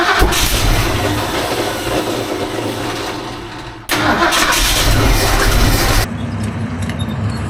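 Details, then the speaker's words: Classic engine just after a new distributor install and timing-light adjustment, following no-spark and no-start trouble: fires and catches, then settles into a lumpy, stumbling idle. Running rough; owner feels something isn't right. "All right, it's running. Running rough, but she's running. I feel like something's not right."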